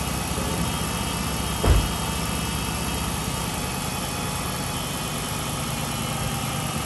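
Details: 2007 Chrysler 300C Hemi V8 that was overheating, after coolant refill, idling with heat on to bleed air: smooth, even steady hum with one brief thump early on, no knocks or squeals; normal idle.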